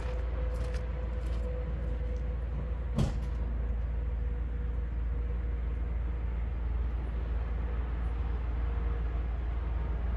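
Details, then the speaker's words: 2004 Freightliner Sprinter 2500 diesel, which has known injector issues, just after a cold start: deep, even rumble with no clatter, hesitation or stumble. No timing-chain rattle is heard; it idles smoothly and sounds healthy. "I don't hear that at all. It's running very smoothly as you can see. Um, there's no hesitation or bad idle or anything like that."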